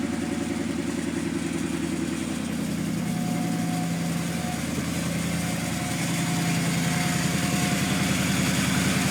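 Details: Strange whistle noise at idle, source unidentified, despite new alternator and idler pulley/tensioner; thin high whistle drifts in and out over a steady, even idle.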